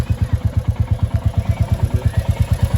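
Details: 2024 Royal Enfield Classic 350 Reborn single-cylinder after first service engine opening: steady even thumping at idle with a dull knock on each beat; noise still present, cause not pinned down.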